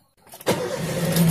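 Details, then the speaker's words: Engine after battery maintenance (low-electrolyte battery refilled and recharged, covers refitted): quick crank, engine catches at once and settles into an even idle, indicators all normal; normal engine start. "Oke, kita akan startup untuk mesinnya ya. Kita akan nyalakan mesinnya. Kita akan tes dulu."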